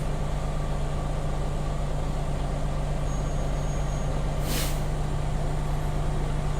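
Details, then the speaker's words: Truck air brake system, engine revved to build air: steady low diesel drone, then a sharp burst of air hiss as the governor cuts out normally at about 127–130 PSI, within the 120–140 PSI spec. "How do I know the governor will be cut out? You will hear the hissing sound, and my needle will stop rising."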